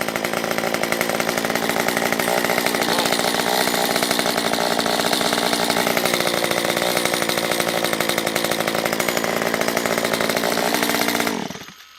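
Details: Stihl MS194T chainsaw after fuel-system repair, carb set rich on low and nearly rich on high, warmed up and oiling: steady, even high-pitched buzz holding speed without stumbles or surging, then shut off; normal running.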